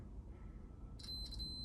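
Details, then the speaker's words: 1982 Honda CT110 (stock 6-volt system) brake light switch cable, multimeter on 200 continuity setting: faint high beeps chirp on and off as the button is released and pressed; switch contacts close properly, cable works. "these contact points, and you can hear it's giving us a tone."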